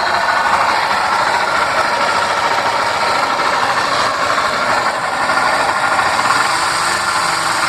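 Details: Honda Fan 125 at idle: busy metallic upper-range rattle and clatter over thin low end; mechanic says cylinder, piston and whole top end need redoing, owner suspects something simpler like oil pump or clutch; unconfirmed.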